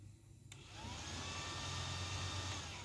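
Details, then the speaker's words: Yamaha Vixion (old model), code 21 with engine temperature reading −21 °C and fan reported not running: relay click, then the radiator fan spins up to a steady, even whoosh with low motor hum; fan and relay are normal. "Oke, ini kita pastikan kipasnya berputar, relay-nya pun normal. Nah, Teman-teman, ini berputar."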